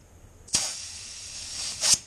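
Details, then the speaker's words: Mitsubishi Evo X boost leak test, intake pressurised: sharp hiss of escaping air that holds steady; boost leak right at the throttle body. "Oops. Let's see. Yep, it's leaking right at the throttle body."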